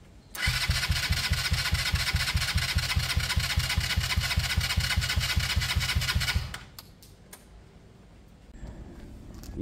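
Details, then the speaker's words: Kawasaki KSR GRS 125 start attempt with airbox fitted; carb recently tampered with by several people: steady starter churning about two and a half pulses a second for six seconds, never catches; cranks but won't start, cause unconfirmed. "be surprised if this doesn't fire up because Ryan says that three or four different people have messed with the cob recently"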